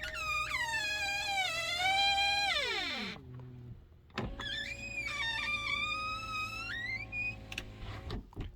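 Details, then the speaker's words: 2022 Tesla Model 3 Long Range, about one year old: loud wavering high squeal rising and falling in pitch as the power window rolls down, audible across a parking lot; power window squeal. "every time I roll down this window it squeals so loud you can hear it across the entire parking lot is incredibly embarrassing for what this car costs"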